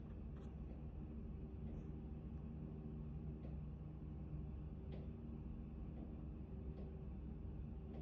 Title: Actron Neo Knocking Noise #1